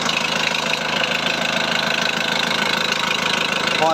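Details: VW Transporter T4 1.9 TD reassembled with air box, timing belt cover and pipes refitted, checking whether the earlier rattle is cured: even, steady diesel idle with regular clatter at about three beats a second and no loose rattle; sounds healthy.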